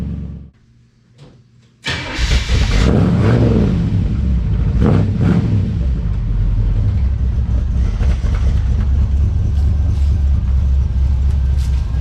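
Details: 1963 Chevrolet Impala after a 9,000-mile road trip: short crank, brief rev, then deep uneven idle that won't settle; idle needed adjusting with elevation, owner suspects the electric choke needs adjustment.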